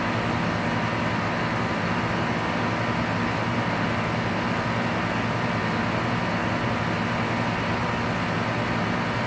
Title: Outside compressor grinding noise 6:10 in